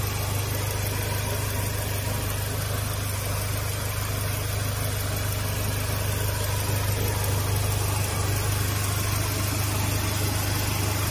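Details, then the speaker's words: 2015 Mazda 3 after AC compressor rebuild and refrigerant recharge, idling with AC on: steady even idle, no whine, rattle or knock from compressor, much quieter than the old noisy compressor; healthy. "صراحه امانه ما في صوت كبير يعني ليس مزعج نفس الكمبرسر القديم الكمبرسر القديم كان مزعج يعني تحس او تسمع صوته هذا الكمبرسر ما تسمع صوته"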